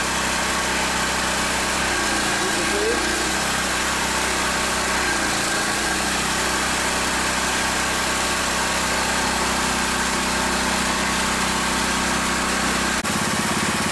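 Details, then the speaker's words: Pressure washer at full engine speed with 6.0 tip, unloader valve at max: loud, even engine roar at one steady speed with hissing spray, no misses or knocks; running normally. "This is full engine speed with the 6.0 tip."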